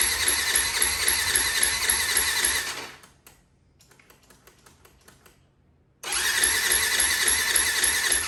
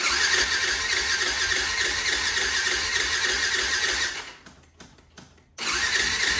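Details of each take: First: 2004 Yamaha WR450 carbureted single, choke on, electric starter spins it a steady three to four beats a second but it never fires; carb float needle stuck, no fuel flow, later freed by opening carb drain and tapping. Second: 2004 Yamaha WR450 single after freeing a stuck carb float needle (drained carb, tapped side): fast, even buzzy idle that dies about a second, then catches and keeps running.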